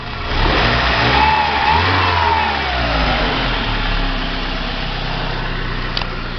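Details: VW Gol after replacing the worn, loose water pump (164,000 on the original, units not stated): revs climb smoothly and drop back to a steady idle with no knock or rattle. The engine noise is fixed and it sounds healthy.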